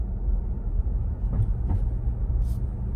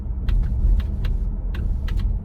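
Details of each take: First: 2022 Ford Bronco four-door Badlands with MIC hard top, after fixing the rubbing plastic rear driver-side pin: road rumble and dull thumps over manhole covers, with no roof clicking or clacking. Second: Roof popping and clicking over bumps from the MIC hard top on a 2022 Ford Bronco four-door Badlands, heard right overhead. Sharp pops and clicks ride over heavy road rumble while driving; a manhole clank is also heard. Cause not confirmed.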